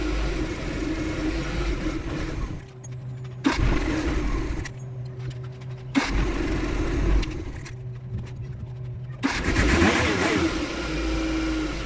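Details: Suzuki F6 carburetor engine, hard starting: starter churns in several long bursts with pauses, engine never settles into a steady idle; cause suspected, not confirmed.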